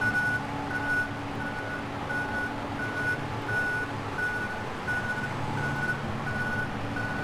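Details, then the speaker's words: Forklift reversing alarm: steady high beep about one and a half per second over a low machine hum, recorded during an occupational noise survey; the operator is exposed to it. "essentially that's your characteristic beeping that you'd guess when a forklift is reversing"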